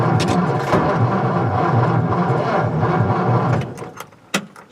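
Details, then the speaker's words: 1955 Ford Fairlane Victoria, off the road since 1992, new fuel pump, 12 V battery: fast, even cranking for about three and a half seconds, then it stops with no firing; it later started with starting fluid. "acts like she wants to go but she doesn't"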